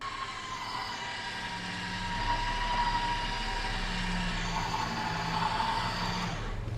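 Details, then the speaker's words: Nissan Xterra winch pulling the truck after a Big 3 kit, 250 A high-output alternator and high-capacity battery upgrade: steady motor whine holds an even pitch without sagging, lights no longer dim; normal winch operation under load. "as you can see guys the winch is pulling no problem the lights are not dimming like it was on the previous test"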